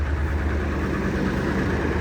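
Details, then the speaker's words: 7.3 Powerstroke diesel, cold idle ramped up, smoking until warmed on the highway; slightly lumpy uneven beat, no knocking; possibly a dead cylinder. "it's ramped itself up and it'll smoke like that till you get on the highway and get some heat in it so I don't know could have a dead hole"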